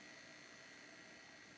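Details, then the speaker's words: Heathkit GR-91 receiver, bulb limiter switched out and run up to 115 V line: steady even hiss, no hum or crackle, noise got louder showing amplifier working; current about 154 mA; normal amplifier hiss. "the noise got louder that's a good sign it means the amplifier at least is working and putting out some"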